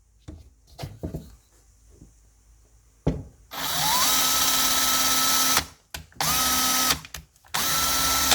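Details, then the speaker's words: Makita DF333DWYE drill after its motor upgrade from RS550 to RS555 and gearbox service, drilling into wood. Strong, even whine climbs quickly to a steady high pitch in three bursts and holds under load, with no grinding or stalling; very powerful. "Ini sudah sangat powerful teman-teman."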